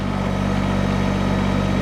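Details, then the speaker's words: Diesel tractor at just under 2000 RPM driving a County Line PHD 100 three-point post hole auger through sod: heavy, labored drone holding low as the auger digs in; engine bogging under load, auger must be pulled out. "oh hear it you hear it that's when you gotta pull you hear that engine bogging pull it out"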